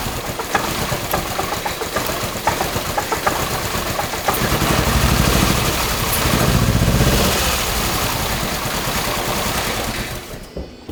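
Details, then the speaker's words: 2.5L swapped Subaru Crosstrek running on only two cylinders with fuel to the others unplugged: lumpy, uneven beat about four pulses a second; cylinder 2 seems weak, cause unconfirmed. "Alright, so obviously cylinder 2 seems like one of the guys isn't really performing like we want."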